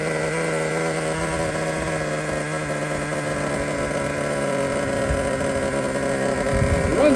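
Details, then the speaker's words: Used Traxxas T-Maxx nitro engine whose low-speed needle was turned about a turn too far in, now backed out: it starts and holds a steady, buzzy idle set slightly high, even without stumbling, running well. "As soon as I ran the low speed out, it started right up and it runs perfect. He did have his idle set a little bit high."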